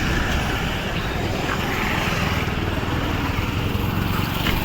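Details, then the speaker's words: Maruti Suzuki Wagon R after faulty CNG injector replaced, running on CNG: even, steady engine note, vibration and earlier tak-tak misfire noise gone, no tapping or shudder; normal running on CNG. "यहां पे CNG प है गाड़ी vibration भी बंद हो गया और जो आवाज आ रहा था व भी नहीं आ रहा है"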